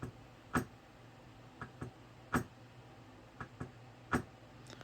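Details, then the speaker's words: Golden Tee arcade board with mouse-urine damage, booted with the suspect chip removed: faint sharp clicks repeat about every 1.5 seconds. The board is stuck in a constant reset and does not boot. "That's fine, but I can tell we're in a constant state of reset. I don't know if you can hear that."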